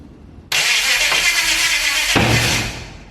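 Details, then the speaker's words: HT Holden 253 V8 swap, first start attempt: a sudden loud bang while cranking, then rough uneven firing that never catches. It is backfiring through the carburettor, and the owner is fairly sure the distributor is 180 degrees out. "And it's backfiring through the carby, so that probably indicates I've got the distributor 180 degrees wrong."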